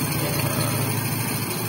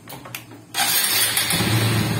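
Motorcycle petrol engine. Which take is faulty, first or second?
second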